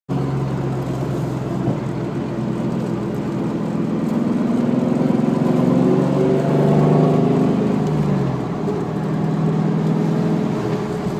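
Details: Car with a 4k-mile rear end (owner thinks S60), about 400 hp at the crank, babied, gives a steady whine over road and engine noise that shifts pitch with speed; owner unsure whether tires or bearing.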